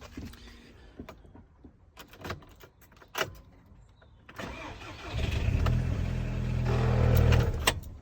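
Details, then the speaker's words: VW Golf GTI Edition 30 at morning cold start: scattered sharp clicks, then it cranks and catches into a loud, rough, uneven run; cause unknown, and the owner fears it needs a full rebuild or has a blocked oil pickup. "as you can see that's not a very encouraging noise so I then I sort of left it for a bit I was thinking yeah I'm gonna probably have to do a full rebuild or something like that on it or something's gone wrong or the oil pickup has blocked"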